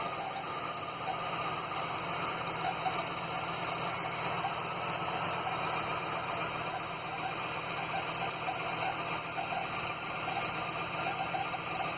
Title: LT1 Strange noise belts?